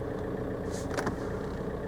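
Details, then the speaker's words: VW Golf Mk4 PD130 diesel after injector loom replacement and EGR valve refit, heard from inside the cabin in a shed: quiet, even idle with no shudder or uneven beat; no vibration, running like it should; normal idle. "there's there's no vibration it's it's running just like it should run it's a pleasant place to be"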